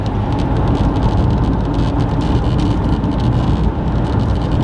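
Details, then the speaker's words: Base Ford Maverick XL driven at highway speed in a windy winter storm: steady road and wind drone with a constant buzz of the windshield vibrating, non-stop since about 20 miles in and worse over bumps; cause unknown. "you guys can hear that buzzing that is my windshield vibrating it has been vibrating since about 20 miles into today's Drive non-stop"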